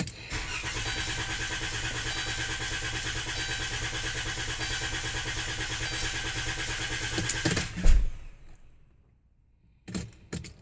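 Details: Chrysler Town & Country van, hard starting since dealer worked on it for something else: long steady starter cranking about seven seconds that never catches, then stops; extended cranking, no start.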